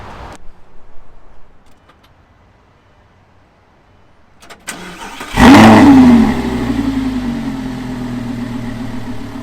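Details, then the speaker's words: 2013 Lamborghini Gallardo LP 560-4 started after dealer 8-year service with new spark plugs, engine reported in great shape, cold dark evening; sharp crank, loud catch, high rev settling into smooth fast idle; normal cold start. "I will give you an exiting turn on of the new engine serviced with the spark plugs."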